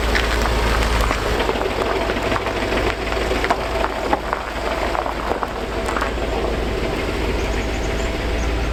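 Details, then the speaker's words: Land Rover LR4 5.0 L V8 with timing fault codes and restricted performance, before timing chain replacement: fast, uneven metallic slapping and rattling over a rough idle; loose timing chains slapping inside the engine. "not sure how well the camera is picking it up but this thing is knocking away and uh that's very indic indicative indicative of loose timing chains on these 5 L V8s um that's just stuff slapping around on the inside there"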